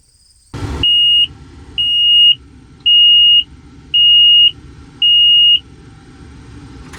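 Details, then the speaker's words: John Deere 544J loader at idle, operator reported stop engine alarm: five steady high beeps about a second apart, warning buzzer for an active battery voltage imbalance code, fixed via CMU reprogram. "Battery voltage imbalance one active code."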